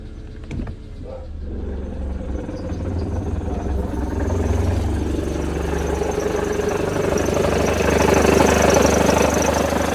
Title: Mercedes Benz W211 E200 Kompressor Engine Knocking Sound